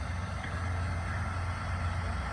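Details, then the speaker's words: Mighty Mule 350 (GTO) gate opener, after DIY repair of once-every-two-seconds beeping and failure to work: steady, even, slow motor hum with no beeping or strain; gate didn't fully close, needs adjusting, but motor is functioning normally. "bore you with this it's like watching paint dry well it didn't close all the way so I'll adjust that later but uh seems to be functioning"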